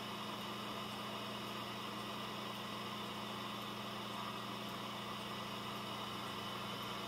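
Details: Dell Optiplex GX280 SFF desktop with a Prescott CPU and a small heatsink, on a fresh install and heated up under heavy load: the CPU fan at its maximum gives a quiet, even whir with a low hum and no ticking or rattle. Normal.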